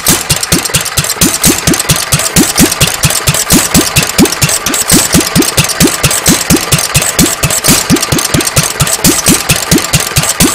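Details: Petter A1 stationary engine after timing setup, running without exhaust: crisp even single-cylinder beat with sharp exhaust cracks at a steady pace, no misses or knocks; running quite well.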